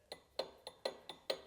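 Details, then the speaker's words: BMW 135i N54 with Precision 6266 Gen 2 ball-bearing single turbo, building zero boost; compressor wheel stuck with about half an inch of play, rocked by hand giving light metallic clinks every quarter second; worn shaft bearings suspected, not confirmed. "There's about half an inch of play in the wheel here and it just won't spin otherwise. When we turn on the car, the only thing we've tried to do is take it around the block to see if we can get it to build boost. The only noise you hear is this turbine wheel going back and forth like that"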